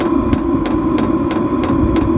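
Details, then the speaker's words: Vevor diesel heater: steady even clicks about three a second over a fan hum from the pulsating fuel pump, louder at higher temperature settings; normal fuel pump clicking, though annoying. "clicking sound just be quiet there so you can hear it it is a little bit annoying and it does get louder if you put the higher temperature as you've heard before um that's from the uh pulse pump"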